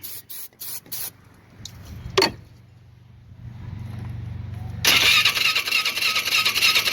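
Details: Polaris Sportsman 500 HO ATV with 661 hours, choke on, full tank, starting fluid sprayed in: short hisses, then a steady whirring crank with no attempt to fire; crank no start from a spark problem.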